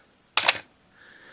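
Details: Canon AE-1 Program 35mm film SLR with 50mm FD f/1.8 lens and a battery installed, shutter at 1/30: one crisp, quick, even snap with no drag or stutter, and the aperture blades close quickly. Normal shutter operation.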